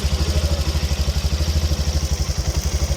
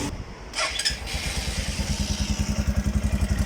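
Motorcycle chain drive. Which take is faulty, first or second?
second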